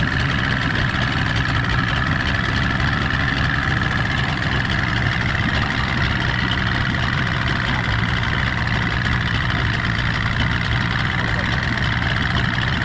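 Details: Stock 49 cubic inch outboard on a restored 13 ft Delta T850 race boat at its first water test: loud, even idle holding steady throughout, no misses, knocks or surging; running healthy.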